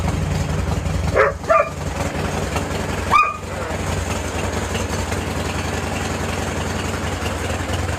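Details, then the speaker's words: 2000-2007 Harley-Davidson Touring V-twin after installing a new fuel pump assembly (initial minor problem fixed): fuel system primed, it starts right up and settles into an even, steady low lope with a few brief blips early; normal clean idle. "Alright, so it started right up. So that's it. Ran into a little minor complication,"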